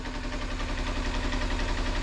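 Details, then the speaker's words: 2007 Kawasaki Ninja EX250, unridden since 2018 (5 years), just started and warming up on little fuel: steady even low putter with smooth fast pulse, no knocks or misses; clean healthy idle. "It's sitting here just idling away. Man, this thing has not ran since 2018, 5 years."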